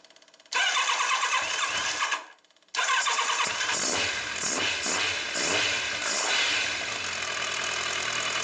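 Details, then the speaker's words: Kawasaki ZZR1100 D, cold start after the fuel pump was replaced (the bike had started badly when cold): the electric pump buzzes about two seconds, then it cranks and catches first touch, settling into an even run; the fault was the fuel pump. "Well, there it is. It starts. Let's see, there it is. Okay, at first touch without anything. It was the bloody fuel pump that drove me crazy, but it drove me really crazy, huh?"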